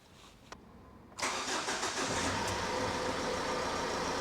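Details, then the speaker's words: 2007 Ford Transit Connect 1.8 TDCi diesel, about 144,000 miles, started after a fuel filter change (a little air may cause lumpiness). Short crank, catches about a second in and settles to an even, steady idle. Normal start. "So next I'll fire it up, make sure it ticks over okay."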